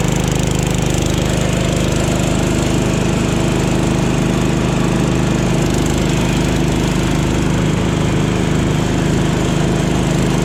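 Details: Jacobsen Chief 1000 garden tractor with Kohler K241 single-cylinder, after fuel system work (drained gas, new fuel line), electric PTO engaged: steady even thump pulling the mower deck, holding speed without misses; runs healthy under load.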